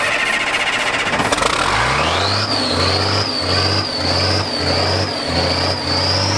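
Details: Old military diesel vehicle's first start after sitting 10+ years, helped with ether: it catches and revs quickly, then settles into a fast idle with a gentle surge and a high whine. It runs healthy.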